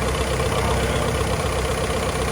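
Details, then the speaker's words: 1949 Willys Overland Jeep, first start after engine rebuild with valves adjusted and timing set: even, steady idle with constant low rumble, no misses, knocks or ticks; idling nice and smooth. "But as you can see, the motor's idling nice and smooth."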